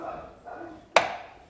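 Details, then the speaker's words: Renault Sandero RS door swinging open: a single sharp plastic snap from the door check strap (limiter). It is a defect of the original plastic part, not a lack of lubrication; the dealer replacement part is iron. "É muito chato. Não é lubrificação. Isso não é falta de lubrificação, não adianta. Isso é defeito dele mesmo."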